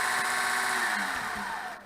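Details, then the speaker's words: Repaired Manta permanent-magnet axial-gap motor (Etek/Lynch type), run on 12 V booster cables: smooth falling whine fading evenly as it spins down freely, where before repair it ground to a quick stop; normal coast-down. "it goes to a stop last time it kind of ground itself to a stop or it stopped very quickly so this is the best this motor has been"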